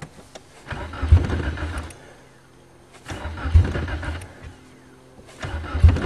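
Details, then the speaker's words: 1994 Nissan Sentra 1.6 cold start attempt: three bursts of cranking with brief catches but never keeps running; fuel pump not heard priming, cause unconfirmed. "like the talon definitely not a cold weather car same every time"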